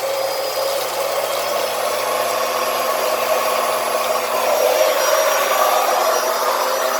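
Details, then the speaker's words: Small transfer pump draining a roughly 5-year-old hot water heater refilled with cold water to flush sediment (tank gurgles): steady, fairly loud buzzy whine at constant pitch, no knocks or surging, with strong water flow; the pump is running normally. "It's a little noisy, as you can hear. But look at the water flow coming out the other side."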